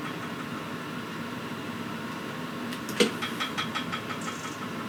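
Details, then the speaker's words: Suitcase inverter generator after starter cord repair, engine switch left off, choke on, primed, fuel on: one sharp recoil pull with a short rattle of ticks dying away, no firing because the engine switch is off. "Oh wait, engine switch on. Okay."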